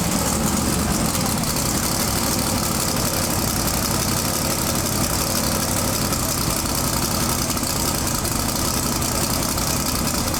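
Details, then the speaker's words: Twin-turbo big-block V8 pro mod drag car with a new Turbo 400 transmission, at first fire-up after about 2.5–3 years. A loud, busy, steady idle sits well above normal. High idle, throttle believed to be on its stop and needing adjustment. "all right so let me see if I can work out what's going on the throttle try and get it down a little bit sure sounds like it's hitting the stop so I think it's on the stop up here we just need to adjust"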